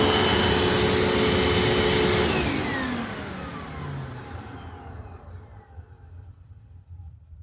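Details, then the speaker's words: Hoover fold-away vacuum motor after motor bearing replacement, running then spinning down smoothly over a few seconds with no rasp or rumble; before the repair the long wind-down had bearing noise, now much better, healthy. "That is way better. So before this thing actually had a long wind down and with that long wind down there was definitely some bearing noise. So I'd say that was a big success."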